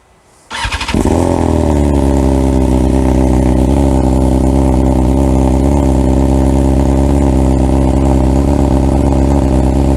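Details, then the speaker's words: 2022 BMW S1000R Sport, over 2000 miles, full Black Widow aftermarket exhaust, cold start: fires up into a fast, steady, deep burbling high idle from the cold-start function, then settles down; normal but annoying to the owner. "It makes that funny annoying burbling noise, so your neighbours don't like it very much and it just sounds like something's not quite right with your bike."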